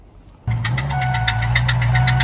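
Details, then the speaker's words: 400,000-mile Ford 6.0 Powerstroke diesel (about 700 hp), bearing chunks in the oil filter, started briefly: sharp metallic knock repeating about six to seven per second over idle; rod knock. "Poor truck. Oh God, oh God, oh God. Oh, that sounds so bad."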